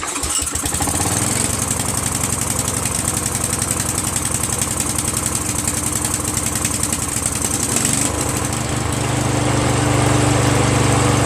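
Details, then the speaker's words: Free Exmark 36 Metro Encore commercial walk-behind mower, recoil starter repaired with new rope, starting fluid sprayed in intake: fires after a couple of pulls and settles into a steady, even single-cylinder putter with no misfires; running fine. "that sounds good"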